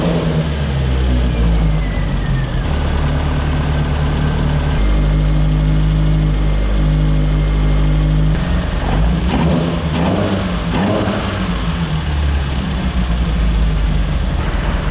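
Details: Toyota AE86 carbureted build after repairs: engine fires and settles to a steady even idle with clean throttle blips, no misses or knocks; smoke much reduced; normal start and idle.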